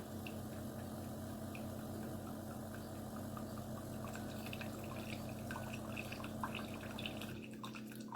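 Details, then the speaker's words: Chefman single-serve coffee maker with rear reservoir: low pump hum with trickling and dripping for about seven seconds, then the hum cuts out abruptly, shutting off early with plenty of water left and little coffee dispensed; brew cycle stopping early. "And that fast it shut off. But you see how much coffee I got?"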